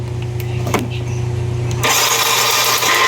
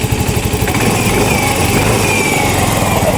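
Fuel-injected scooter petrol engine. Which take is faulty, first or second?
second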